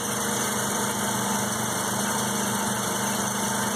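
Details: 1984 Mazda RX-7 12A rotary, cold start after sitting 13 years, block about 47 degrees: steady, even buzzing idle with no knocks or misses, pitch holding constant; normal cold idle.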